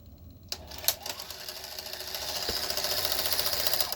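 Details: 1984 Sanyo Beta VCR 3 during repair: clunk then busy mechanical whir with quick ticks, cassette loading works normally, though play, fast forward and rewind only click and the idler is suspected bad.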